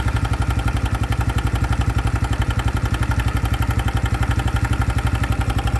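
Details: 2025 Honda Biz motorcycle at idle with a steady tap about four times a second over the idle; a new engine noise that appeared after riding below 70 km/h, cause unknown.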